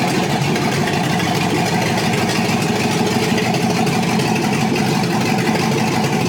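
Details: Chevrolet SS Trailblazer 6.0 LS2, first start after rebuild with new crank, main, rod and cam bearings, Trick Flow cam, new gaskets and seals, on open headers before exhaust hookup: loud, raw, even idle with no knocks or misses; normal idle.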